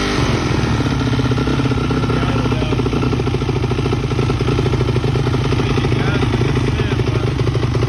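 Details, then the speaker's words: Freshly rebuilt Yamaha YZ426 dirt bike on its first start after adding coolant, gas and oil, started first try: a steady, crisp single-cylinder beat at a fast idle with no knocks or rattles; running healthy. "So the hard part's out of the way. We got the bike running."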